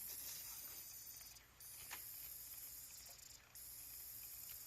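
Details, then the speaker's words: Audi C6 A6 4.2 that keeps blowing fuse #5: a faint constant high hiss with short dropouts as fuel leaks from a cracked, rusty high-pressure fuel pump fitting, suspected cause of the blown fuse. "i think i found the problem and why my fuse is blowing this high pressure fuel pump is leaking fuel yep you can hear it hissing"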